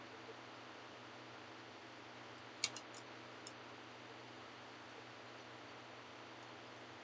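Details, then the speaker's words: Vintage arcade board with caps redone and two different sound boards tried: constant loud static hiss with the game sound barely audible, only faint ticks; very low audio output with hiss, cause still unknown. "I actually do hear the game sound. There's just static over it and it's really quiet."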